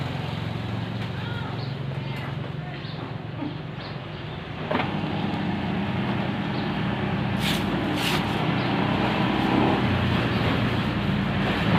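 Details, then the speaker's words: Automatic washing machine after its loud motor was replaced with a new one (old motor's bearing suspected, wash shaft fine), now runs with a steady low hum and gentle swish with no rattle or grinding; loud noise gone. "ม.คถ้าเงียบครับเงียบ"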